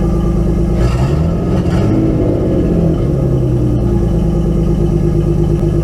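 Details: Nissan 240SX S13 RB20DET inline-six after fitting six new ignition coils and slightly lowering idle: cranks, catches and settles to a lumpy idle with uneven stumble; still misfires, cause not yet found.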